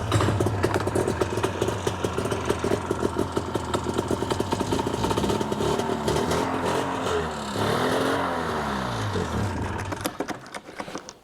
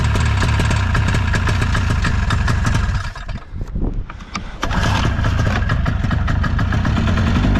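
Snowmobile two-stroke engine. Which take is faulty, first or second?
first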